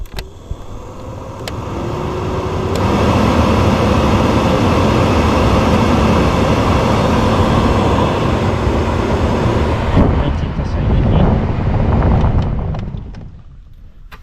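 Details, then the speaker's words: VW Gol G3 cabin blower fan running after a loose white plastic piece causing the noise was removed: steady, even rush of air with no ticking, rattling or scraping; normal operation. "então galera tirei a pecinha lá de dentro ó essa pecinha aqui ventiladorzinho trabalhando agora"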